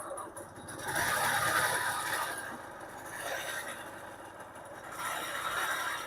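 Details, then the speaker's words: Honda Pop scooter started after long storage, before fuel reached the carb: a harsh metallic clatter swells with each throttle blip. A neck/crank bearing is suspected, and the two-stroke oil hose was found clogged. Loud mechanical rattle. "ไปเพื่อนน้ำมันยังไม่เข้าคาบูแล้วติดแต่ว่าเครื่องดัง"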